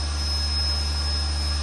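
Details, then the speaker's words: Vacuum mixer's vacuum pump, mounted on the back of the mixer, started for a vacuum test with the gauge working: smooth, even low-noise drone with a low hum and a steady high tone. Normal running. "Now we can hear the voice of the vacuum pump and the vacuum meter is uh working."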